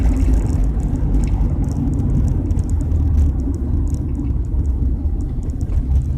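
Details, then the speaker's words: Car after hitting road debris at about 50 mph: deep droning rumble rising and falling with throttle, much louder than stock; a suspected exhaust leak, seemingly from underneath behind the wheels. "and now my car sounds like I flickin put a muffler like a ricer"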